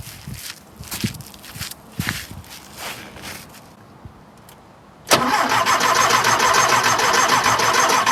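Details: 1976 Porsche 914 with a VW Type 4 engine, first start after 30 years in a barn: a few sputtering attempts, then a loud, uneven run with a knock. It runs rough; the owner suspects it needs a rebuild.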